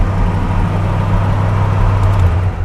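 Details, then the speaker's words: 1971 Pontiac GTO V8, running after about 12 years of sitting, once a jump-pack grounding problem was fixed. Deep, steady rumble with an even beat and no knocks or misses: it runs smoothly, though the car has other issues. "sounds beautiful all right guys you just saw that car start after sitting for what 12 years"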